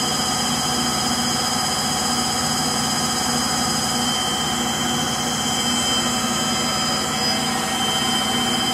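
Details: Frigidaire Gallery front-load washer GLTF1670AS1, final high-speed spin: loud steady jet-like roar with whining tones; worn-out motor bearings.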